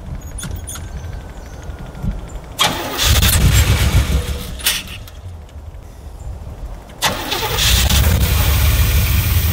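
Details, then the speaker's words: 1984 Corvette sitting for years, first start attempt: catches in ragged bursts, spitting and sputtering with uneven firing as throttle is pumped; a fuel line blew under pressure, owner thinks it flooded or isn't getting enough fuel. "snorting spitting and snorting come on come on I just need you to run for a little"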